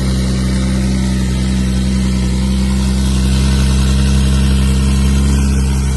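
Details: Twin-turbo swapped widebody Nissan S12 Silvia after first start in 5 years: steady deep even drone with firm low rumble, no knocks or misses; revived engine idling cleanly.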